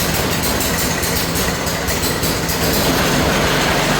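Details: New Harbor Freight engine on a rebuilt American Cruiser go kart, first run: loud even chugging about four beats a second with steady buzz, no misses or knocks; normal idle.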